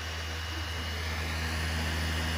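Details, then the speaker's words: PlayStation 4 that would not read games, after cleaning and fix; quiet, smooth whir building steadily without hesitation or clicking: normal disc reading spin-up. "that's what it should sound like when it's actually reading the disk that sounds fine"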